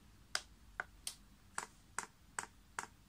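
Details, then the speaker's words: Chinese diesel heater with the 6-fan-blade icon controller in prime mode (hold OK, then down arrow): the dosing pump clicks crisply and steadily at about 2.5 per second as fuel level rises in the line, which is normal priming. "and you can hear that pump's clicking and Easy in fact now priming you see that level is going up there"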